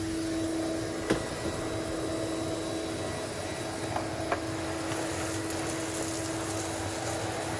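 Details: Numatic Henry HVR200 vacuum, after clearing a blocked silver pipe: steady, even mid-pitched drone that never wavers or chokes; vacuum pulling freely and running normally.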